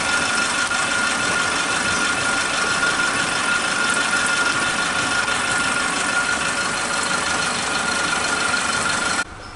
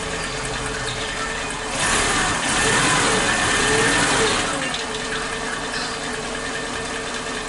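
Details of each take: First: Suzuki Katana engine idling after the faulty old spark plug wires were replaced with a cheap new set: flat, constant, even idle with no dropouts until it cuts off; normal idle. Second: Suzuki Katana, warm engine, old spark plug leads refitted in firing order 1342: unstable idle rpm with brief pauses as if ignition cuts out; misfire confirmed from the old plug leads.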